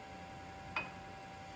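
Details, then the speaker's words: Factory Five Mk4 Cobra replica before first start, electric fuel pump running while fittings are checked for leaks: faint steady high hum with one brief click; consistent pump sound, fuel felt flowing through the lines, no leaks found. "from the fuel pump is a good sign and i can feel fuel going through the lines there"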